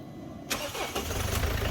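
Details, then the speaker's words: Mercedes W212 diesel cold start after timing chain job and oil refill; short crank, catches at once and settles to a steady even idle, no leaks after; normal cold start. "there we go. Cold start. Perfect. Oh yes. I like it, I like it."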